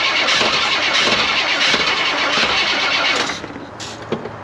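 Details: 1974 GMC Grand Sierra 3+3 dually with a 454 big block, sat for years on a farm, good spark confirmed: rapid, even cranking at about four beats a second for three seconds, then it cuts out without clearly catching.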